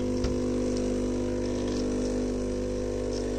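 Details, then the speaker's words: Philips coffee machine (HD847 series) that heats, grinds and runs its brew unit but delivers no water: steady buzzing pump drone, unchanging, as the clogged outlet valve holds back pressure so water doesn't pass. "Оказалось, что клапан здесь слишком засорен . Это сдерживает давление. Поэтому оно и не проходит."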